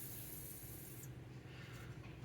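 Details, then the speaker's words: Skateboard bearing spun by hand after cleaning with 91% alcohol, before oiling: a quiet, even hiss with no ticks or grinding; it sounds clean, normal bearing spin. "I just spin them to try to get as much alcohol out of the raceway as possible. You can hear them, they sound pretty clean."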